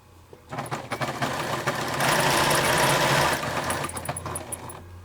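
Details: FAF sewing machine about 26 years old, bought 1989–1990, once serviced after the wheel locked: runs in short bursts with a high, chirpy squeak on each pass over mechanical clatter; dry squeak, source unclear.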